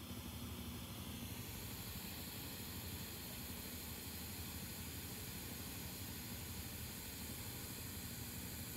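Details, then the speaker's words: NINM Lab It's OK Bluetooth cassette player playing a blank tape at high volume: steady tape hiss over a low, faintly pulsing motor rumble with soft ticking. "so what you're what you're gonna hear is the motor noise and then tape hiss"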